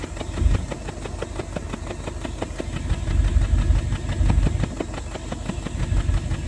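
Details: 1988 Bentley 8 at idle, recorded at tailpipe with hand near pipe end: uneven exhaust beat with irregular puffs and pops, indicating misfire in one or more cylinders at idle speed.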